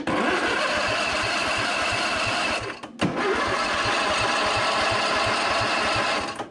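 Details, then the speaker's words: Free Husqvarna Z246 zero-turn, safety switches bypassed: two bursts of steady starter cranking with no cylinder catching; no spark, owner suspects ignition coils grounding out. "it looks like we're not getting sparked for some reason not quite sure what would that be okay I think I'm gonna take off the cover here so I can make sure that my coils are not grounding out"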